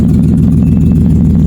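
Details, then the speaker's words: Nissan Xterra after crank-no-start, no-spark repair (ECM reprogrammed, camshaft sensor replaced): steady, smooth idle with an even low pulse and no misses or knocks; engine running properly. "The vehicle starts up right away. It starts up right away. You see? As we got started."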